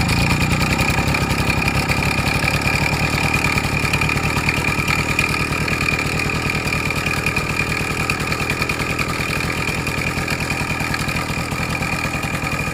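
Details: Suzuki Max 100 two-stroke, cold start after about 5 years parked, only carburetor cleaned and wiring reconnected: fast uneven rattle and ringing clatter over exhaust buzz at idle; engine not 100% okay, abnormal sounds present, cause not yet found.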